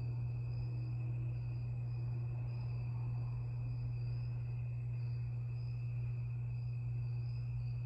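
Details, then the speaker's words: 52-inch Harbor Breeze Lakeside II ceiling fan with a cracked, partly melted capacitor, running only on low at every setting: steady, fairly loud, low electrical hum with no speed rise; failed capacitor, to be replaced. "and it makes a humming noise makes a the humming noise is a little bit loud and I will replace it the capacitor"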